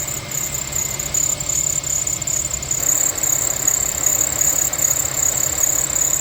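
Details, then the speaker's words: Infiniti FX35 at idle, about 2 minutes after WD-40 on serpentine belt wore off; constant high metallic screech resembling a bearing but from worn belt, belt replacement planned; serpentine belt squeal. "Прошло примерно 2 минуты и слышим повторяющийся скрип ремня. А поразительно, что звук похож на звук подшипника, но это скрипит именно ремень его."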